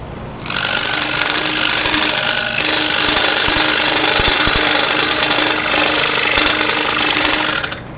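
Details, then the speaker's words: New 30" Pegas scroll saw bolted to plywood on stand, soft start, cutting 1/8" walnut with a coarse blade: fast, even buzzing chatter, slightly louder under load but no knock or grind; normal cutting. "That's a pretty coarse blade in there too. I don't use anything that coarse as a rule. But it's a little louder, but it's not bad."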